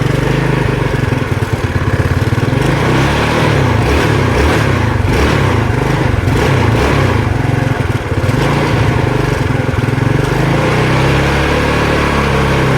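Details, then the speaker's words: Yamaha Mio Sporty 115 scooter with no steady idle and hard starting: small buzzy idle that drifts up and down by itself, caused by an air leak at the fuel tap (fuel cock) vacuum line. "Paiba-iba paiba-iba siya ng andar oh."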